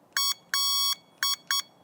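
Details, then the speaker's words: KuKirin G4 electric scooter, 2000W motor, 37 kg: four short thin high-pitched electronic beeps, one held longer, clean and even; stock horn works normally but sounds weak for the scooter's size. "And one thing that doesn't match with this massive weight and size and the width of the handlebars is the horn sound."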